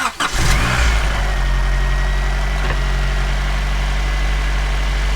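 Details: 1990 Honda Prelude after swapping to a non-AC belt to cure a squeak suspected from the AC compressor. Cranks, catches quickly and settles into a steady, smooth idle with no squeak. It runs normally.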